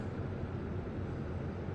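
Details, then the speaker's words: 2024 Midea 12,000 BTU inverter window air conditioner MAW12V1YWT-S on cool low, inside fan low: soft steady low hum and gentle whoosh from the condenser fan, indoor fan nearly silent, no rattles; normal quiet running. "the only thing you can hear is the condenser fan motor but when the con fan motor is off you don't hear anything from this indoor fan motor here"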